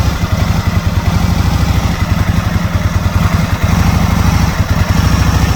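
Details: 2001 Aprilia Futura, in winter 2021, struggling to idle: low, choppy firing with an irregular beat and occasional stumbles, the engine barely holding on; rough idle of unknown cause that was never fully fixed.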